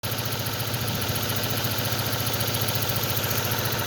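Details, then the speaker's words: 2006 Ford Focus has a hard start and a lumpy, shaking idle pulsing 3–4 times a second despite new plug wires and a new coil pack. Pushing the coil pack connector smooths it; a broken wire and contact in that connector cause the misfire. "Gusto kong ipaabot sa inyo na kung nakikita nyo dyan, nagsishaking yung makina. Bagong palit yung cable wire, spark plug cable, and coil pack bago, ngunit nagsishaking pa rin siya."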